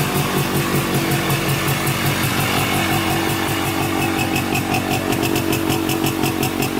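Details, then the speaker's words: Polaris Trailblazer 250 2x4 two-stroke quad after top-end rebuild with cheapest eBay piston/cylinder kit, cold start on second break-in with throttle blips: crisp even buzz, steady, no misfires; now holds idle and sounds much better. "all right all put back together runs a lot better stays idling and definitely sounds a ton better"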